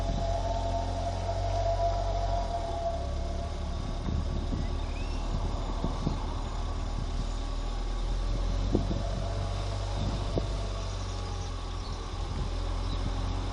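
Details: 2014 Ford Fiesta ST pulling away, also heard around 2,000–2,500 rpm (e.g. 30 mph in 3rd gear): faint whistle rising briefly over engine and road noise; normal turbo spooling.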